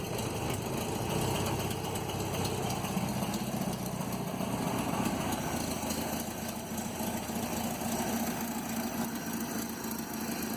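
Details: 1967 Land Rover Series 2a 109 after head rebuild and refit, carburetor and distributor untouched, choke just removed, a few starts in: steady even idle, smooth low thrum, no knocks, misses or hunting; normal idle.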